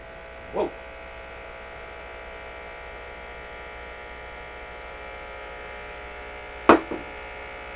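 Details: Canadian Electrohome console tube receiver, no antenna, on restricted power after a resistor replacement: steady buzzy hum under faint clicks, unchanging; mains hum, possibly a wiring error, cause not confirmed.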